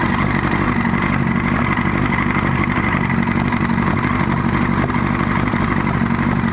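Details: 1998 Yamaha R1 idling with the clutch removed: fast, loose clattering knock around four per second; owner thinks it comes from behind the clutch, possibly a wobbling chain, with valves or cam chain tensioner also suggested; unconfirmed.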